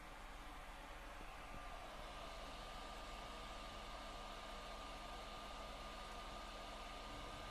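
A constant loud airy rush with a faint steady whine, no rattle or ticking, just a console fan running very hard.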